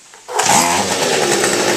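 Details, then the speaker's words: Weed eater that ran poorly and would not start, after burning soot off its clogged spark arrester (not fuel line or plug), hot: catches and settles into a steady high buzzing run with no misses; fixed, running cleanly. "all right she started that was a problem come back and see us"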